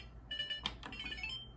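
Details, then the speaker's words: Older Whirlpool Duet dryer before repair, pressing start: short run of high electronic chirps, the F70 communication error between the interface and main control boards; it sometimes starts, sometimes not. "But a lot of times we're getting the code F70. And all you'll hear is this noise right here."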